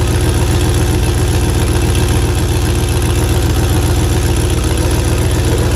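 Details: 1985 Monte Carlo with a single-turbo 4.8 V8 and 4L80E, being fixed for not making boost: steady idle with a sharp regular ticking puff on the exhaust pulses; exhaust leak, possibly at an unused O2 sensor plug.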